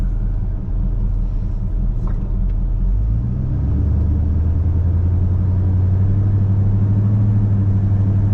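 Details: Chevy C10 with a 454 big block V8, after repair of an engine tick and exhaust sputter, driven to warm up: a deep, steady rumble, smooth and even with no tick or knock; it sounds much better.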